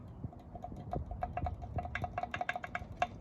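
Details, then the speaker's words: Old turbo from an Escort RS2000 turbo build, under 2 years old, rocked by hand after removal; irregular light metallic ticks and clicks from a worn shaft with lots of play, unlike the new turbo with no play. "Loads of play in there. It's under 2 years old."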